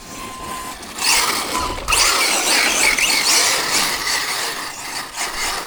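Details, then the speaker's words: HPI Vorza S Flux electric truggy with Draco Precision upgrades, during a bash run. The motor whine shrieks up freely while drive to the wheels is lost because the outdrive grub screw has come loose again and needs retightening. "looks like that grab screws come loose again guys so let's just go back tighten it up"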